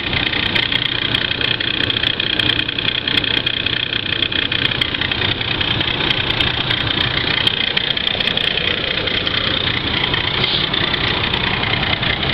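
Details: Ford Crown Victoria engine about 5 minutes after startup; even idle with a steady hissy ticking clatter about three beats a second; engine noise, cause unknown.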